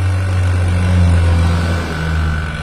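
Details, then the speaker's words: Vacuum pump running while evacuating a refrigerant system before charging to 10 PSI: steady, even low hum, no knocking, surging or rattles; normal running. "ini mesinnya halus banget Bang nyaris mesinnya halus tak terdengar"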